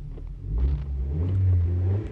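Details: 2007 Honda Jazz in neutral, engine running with the clutch pedal pressed. A smooth, even engine note rises and settles with a throttle blip, with no knocks or grinding. The engine is normal; the shaky noise returns only when the clutch is released, suspected gearbox.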